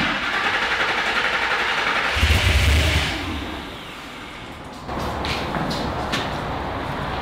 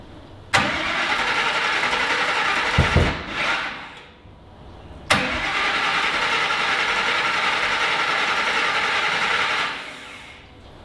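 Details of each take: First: Griz the wrecker started and idling after reflashing to the Godzilla settings on the Holley and reconnecting the disconnected fuel pump; runs strong then settles to a steady, even idle, sounds good. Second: Griz, a V8 wrecker, cranks in two long bursts with ragged popping, sounding like it is trying to backfire, but never catches. The fuel pump is running; the coils were wired in the wrong firing order.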